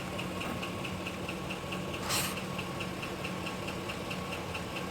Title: Engine knock #3 05 GMC Sierra